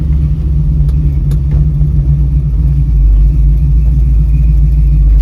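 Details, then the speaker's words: Carbureted Mustang after new Mr. Gasket 1-inch aluminum spacer and new gaskets: barely feathered throttle, deep rumble building smoothly under load with no stumble or surge, fixing the earlier hesitation then sudden acceleration. "I'm feathering the... Look at that. I'm not even pushing the gas hardly. It's going."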